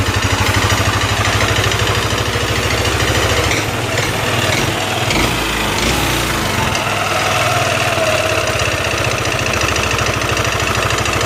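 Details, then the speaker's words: Yamaha NMAX scooter idling: loud rapid metallic top-end ticking, from scored piston and cylinder block. "untuk ngeleteknya ini apa dari pelatuk apa dari blok seharnya pistonnya udah mengalami luka gitu ya kita nyalain dulu Nah untuk Suaranya kayak gini bang tuh parah"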